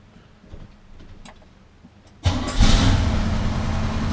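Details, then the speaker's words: 1981 Chevy C30 dually, cold start the next day after oil change and vacuum advance reconnected, choke disconnected, a couple of pedal pumps: faint cranking, catches sharply and holds steady low rumble; previously started then died immediately; normal cold start. "she is starting right up now before it was kind of it would start right up but then it would die immediately so that's a that's an improvement right there"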